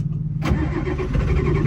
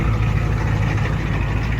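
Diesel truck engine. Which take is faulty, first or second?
first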